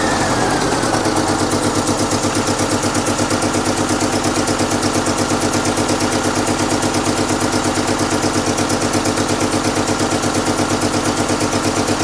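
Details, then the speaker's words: 1998 Chevy Tracker after injector wiring work, first start: engine lopes hard and shakes at idle with a heavy, lumpy beat about twice a second, as if two cylinders are dead; owner then suspected the plug wire firing order was wrong. "okay doesn't sound great doesn't look like it's running good that didn't sound good"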